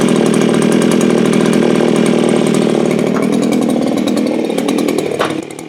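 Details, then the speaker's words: Viper ice auger two-stroke, choke on, after one pull: buzzes at high speed but pitch wavers and sags, then drops off sharply; runs rough, owner says it needs a carb kit and seems not to pull fuel from the tank. "So what am I going to say? Needs a carb kit. Definitely needs a carb kit. It'll work."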